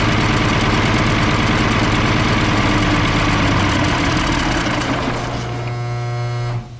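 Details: M35A2 military truck diesel, fuel return still flowing without bubbles: runs with a loud airy hiss and a thin rising whistle before shutdown, suspected intake leak near the turbo, not confirmed.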